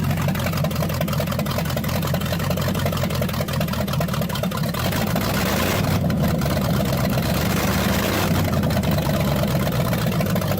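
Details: New Ford 302 V8 in a Fox body, first start after new engine harness, timing set about 12 degrees BTDC with a timing light: steady, fast, even drone with no knocks or misses, idling high around 2500 rpm, cause unknown.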